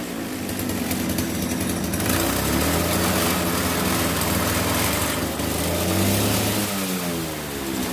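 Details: RBC411 two-stroke brush cutter, shaking violently: revs up and down with an uneven, wobbling buzz. Shaft vibration comes from bent blade tips throwing the blade out of balance; the fix is bending the tips back.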